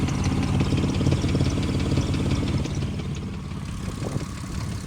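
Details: 2005 Ford Mustang idling: a quick, fairly even tick of about three per second over a low exhaust drone, with an exhaust noise also noted. Engine ticking at idle, cause not yet pinned down.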